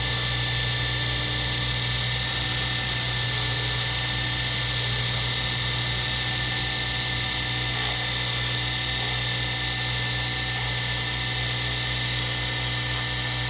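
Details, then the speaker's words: Lathe turning a circuit board blank for a Zodiac pen kit: steady motor hum with a constant high whine and almost no sound from the tool crossing the plastic, no scraping or chatter; clean quiet cut. "as you can tell there's almost no sound of turning you hear the Eng the motor of the uh lathe running but you really don't hear me going across that plastic at all"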